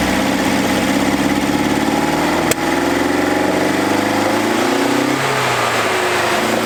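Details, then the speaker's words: 1981 Toyota Hilux RN46, 18R-GU twin-carb engine, first start after sitting at least three years, needing only carb cleaner and a few cranks: steady idle with slight pitch drift and one sharp click; runs normally, compression good. "well there we go boys and girls that is why you buy a Toyota because this thing has been sitting on old mates farm for three years it hasn't been started"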